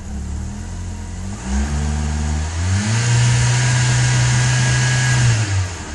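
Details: Toyota Camry engine revving and holding with a slightly uneven, stumbling pulse under the drone; engine misfire.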